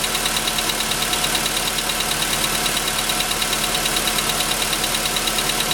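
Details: VW Jetta V at idle: even, quick metallic tapping about three a second from inside the engine, clearly heard from 15 seconds; piston knock, pistons later replaced under warranty.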